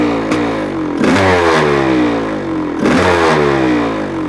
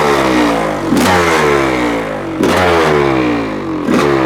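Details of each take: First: 1985 Honda CR500 two-stroke engine in a 2007 CRF450R chassis, first run after the swap with muffler fitted, in windy cold weather, just off choke: crackly revving in uneven bursts with slight blubbering; still running a bit rich. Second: 1985 Honda CR500 two-stroke engine swapped into 2007 CRF450R chassis, first start, cold windy day, choke just turned off, muffler fitted: crisp blips rising and falling cleanly, quick throttle pickup, no misses; still a bit rich and smoky but running healthy.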